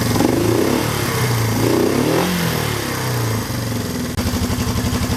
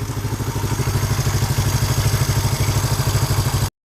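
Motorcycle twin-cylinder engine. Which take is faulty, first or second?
first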